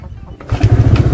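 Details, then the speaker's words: Motorcycle with slightly weak battery, kick-started with ignition on and indicator lit, fuse still installed: a few faint kick strokes, then the engine catches at half a second into a quick, even putter; starts cleanly. "Indikator hidup ya. Ini maaf sekali akinya agak sedikit soak. Saya engkol saja teman-teman."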